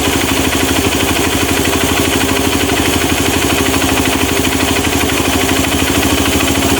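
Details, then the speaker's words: Honda Mega Pro mono with hard starting, needing high throttle and dying at idle. The air screw is turned out slowly toward peak idle speed and the idle rises to a steady, even beat with no misses, ready for final idle setting. "nah nah ini suaranya sudah meninggi Mas Bro ya kalau suaranya sudah meninggi baru kita setel elnya mas bro oke Oke ini pas Bro ya"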